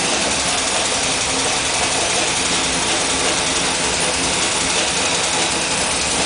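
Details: New GM LS2 shortblock at about 900 miles, new oil pump, lifters, pushrods, cam and timing chain, original heads and rockers, on synthetic 10w30: fast steady ticking about three per second; owner suspects spun bearing or collapsed lifter.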